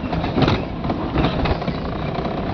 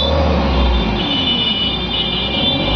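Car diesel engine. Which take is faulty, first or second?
second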